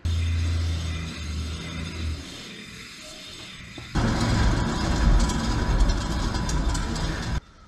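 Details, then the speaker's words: 2005 Infiniti G35 front wheel spun by hand, the car having a speed-dependent vibration: a rough, inconsistent grinding rush, much louder than the other wheel; suspected worn wheel bearing, to be replaced. "so you can hear a bunch of grinding it's inconsistent we're going to swap out the bearing on this wheel"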